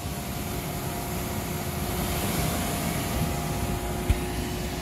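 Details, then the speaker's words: York gas pack rooftop unit, indoor blower after replacing the fan assembly with new wheel, bearings and shaft (old bearing was bad): steady low hum and even air rush with faint steady tones, no rubbing or knocking. Normal blower operation after repair. "we're going to fire it up we'll run it for about 30 seconds shut it down and just check it make sure that everything's staying where it should and we should be good to go all right she's up and running looking good"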